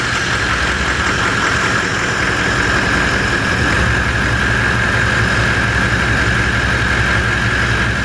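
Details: V8 diesel Toyota LandCruiser on its new starter motor: loud, steady diesel clatter at an even idle with no stumbling; starts and runs cleanly.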